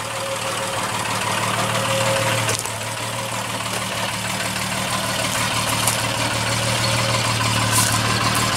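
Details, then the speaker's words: Triumph TR6 started from winter storage with a booster pack, choke forgotten: a steady, low, even idle with no knocks or misses. It started right up and seems to be running well; a normal idle. "good old TR6 started right up seems to be running pretty good she looks okay needs a wash"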